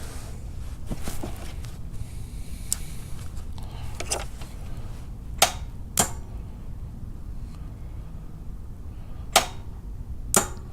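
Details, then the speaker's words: 2000 Jeep Wrangler TJ in neutral, starter tested by jumping to battery positive: a few sharp clicks with no cranking; owner concludes the starter motor is bad. "we hear the click so again I'm not professional mechanic but based on a little bit of research and I was doing we have a bad starter"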